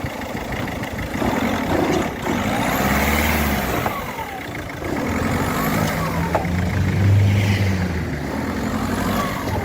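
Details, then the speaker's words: Peugeot 308 1.6 HDi diesel revving with heavy low rumble, sharp knocks and vibration, worse when accelerating and braking; damaged rubber of the central anti-torque engine mount. "Klingt nach Motorlager, ja! Es hört sich so an, als wäre das Anti-Torque (Motorlager) beschädigt, ja, schauen wir es uns an, ja, das Anti-Torque-Gummi ist kaputt ..."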